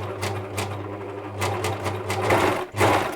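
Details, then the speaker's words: Near-new ex-demo Bernette 610D serger/overlocker, before service, mic position fixed: fast stitching rhythm with a loose rattle over the motor hum. Noisy, rattly running; a loose presser foot is suspected, not confirmed. "I wonder if it could be noisy because the presser foot's not attached properly. I wonder. Let's just tighten that up. It does sound quite noisy, doesn't it? Sort of rattly somehow."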